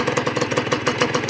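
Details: Honda NSR150 RR-W two-stroke, freshly rebuilt, fitted with a split N4 pipe and power valve closed: starts easily, good compression, crisp even popping idle with no stumbles; normal idle, run in 1,000 km before use.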